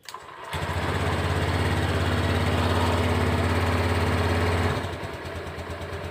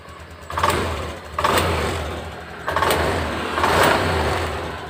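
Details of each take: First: Honda Beat fuel-injected scooter after injector cleaning, no DTCs stored: engine settles into a slow, slightly uneven putter about three beats a second at 1000–1100 rpm versus 1500 standard; idle too low. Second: Honda Beat Deluxe fuel-injected scooter after injector refit and idle adjustment; four clean throttle blips rising quickly and settling to steady idle without hesitation, now feels normal, to be fine-tuned with scanner; normal revving.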